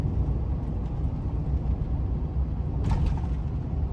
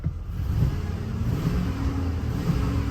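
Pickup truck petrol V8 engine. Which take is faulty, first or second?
first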